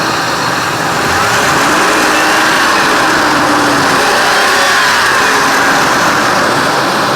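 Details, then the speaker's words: 1999 Ford Expedition 5.4L Triton V8 after replacing the idler and tensioner pulleys that had caused a noise and worn a new belt: engine runs with an even hum and no squeal, chirp or rattle from the belt drive; noise fixed. "so I'll put the bracket back on after I painted it up put the hose back on got the belt all lined up fired it up no more noise"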